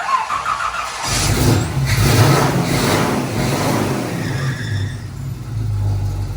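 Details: 1968 Chevy K10 pickup, first start-up after 327 V8 engine swap, battery a little low: cranks briefly, catches and settles into a steady, even V8 idle with light throttle blips, oil pressure coming up; normal healthy start.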